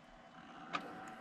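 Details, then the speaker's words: Desktop PC that won't turn on, tested with no keyboard attached: one sharp click over faint fan hiss as it powers on and drops out, repeatedly power cycling without booting; CPU fan doesn't spin, video card fan does. "and i've got this camera close enough hopefully you can hear it clicking just listen one more time"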